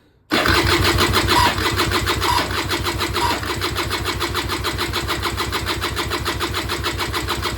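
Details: Peugeot Speedfight 2 100cc two-stroke scooter with Leo Vinci exhaust, bought unseen at auction, first start attempt: steady fast cranking with no firing; spark confirmed, carb slowly filling, cause not yet found.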